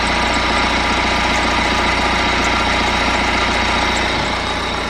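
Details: BMW E90 3 Series, complete cold start after sitting 3-4 days, first minutes of running: even idle with faint high chirping squeak over it; owner suspects drive belt, tensioner or idler pulley.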